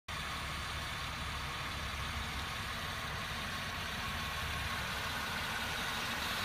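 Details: 2009 Acura MDX after idling for a few minutes at night: a loud, constant hiss from the engine bay over a steady idle, not changing with engine speed. Cause unknown.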